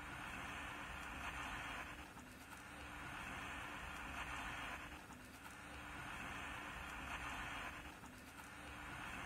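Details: Emperor AIE-641 1970s single-battery portable transistor radio, bought as non-working: only a faint, pulsing hiss with no programme sound; an open coupling capacitor into the output stage is starving the amplifier, leaving output very quiet.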